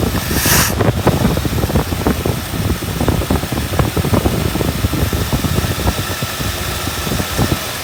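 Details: 1959 Buick V8 running nicely after a crank-no-start with weak spark, fixed by flipping aftermarket toggle switches apparently wired to two ignition coils: even, regular idle pulses, no misses or stumbles. Normal idle.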